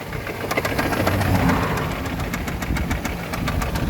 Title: Стук в двигателе.В чем может быть проблема?